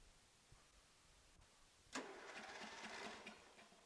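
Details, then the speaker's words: John Deere Sabre mower, 15hp Briggs & Stratton, spark plug just refitted after good spark test: about a second and a half of even starter chugging, roughly three strokes a second; compression sounds pretty good. "Now let's see what she does under compression."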